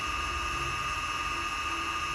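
Steady, even high motor whine with two clear pure tones and no roughness or wobble; the drone is spinning up and running normally.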